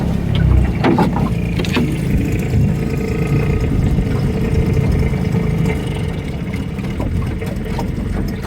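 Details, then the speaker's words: Nissan 5hp two-stroke outboard pushing a jon boat on the lake: a steady, even low drone with water splash. Normal, healthy running under load. "This thing goes pretty good for five horsepower."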